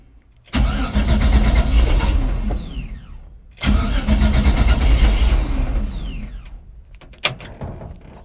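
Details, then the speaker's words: Chevrolet C10 with LS swap on ACES Jackpot 2 fuel injection, first start, trying to achieve cold idle while the fuel table is tuned: short crank, catches and roars about three seconds, then fades out, twice; won't keep running. "Why won't you run?"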